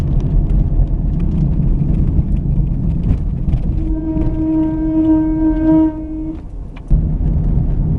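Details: Car braking with a seized caliper slide pin (no grease under boots) holding the pad on: loud steady high squeal rising as it slows, stopping at standstill; noise gone after caliper replacement.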